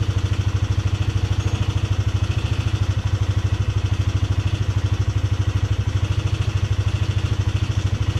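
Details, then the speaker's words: Polaris Sportsman 300 at steady idle: a quick, even light tick, about three per second, over the thump, seemingly from the top end. It persists after the timing chain and valves were adjusted; the owner suspects valve tap. "actually run but it still sounds like it's making that ticking sound sounds like it's coming right from the top end"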